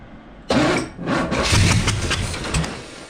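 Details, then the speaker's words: Buick Skylark with a 427 V8 on its first start attempt: the starter churns with ragged coughs and pops but the engine never catches; the distributor was installed 180 degrees out. "every engine ever we've ever done in the history the Distributors is in 180 out conspiracy"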